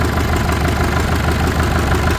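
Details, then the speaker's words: Farmall 650 diesel tractor after bleeding injectors (middle two held air): uneven, lumpy diesel clatter with stumbling beat while a line is cracked; air in the injector line making it run rough. "Yeah, this right here is holding a lot. There's fuel. Holding a lot of air in there."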